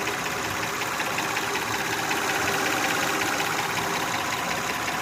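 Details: Honda Odyssey idling with a loud, fairly even knock, two to three per second, over a hissy background; noise began about 3 years ago and grows louder. Engine knocking.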